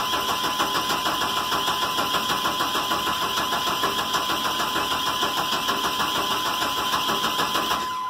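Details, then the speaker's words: Chevrolet 1500 4.3 (owner says 86), brake cleaner sprayed into intake: steady cranking about three turns a second, never fires; owner suspects no spark rather than fuel. "Give it the big gulp, just to be sure. Might have a no spark problem here."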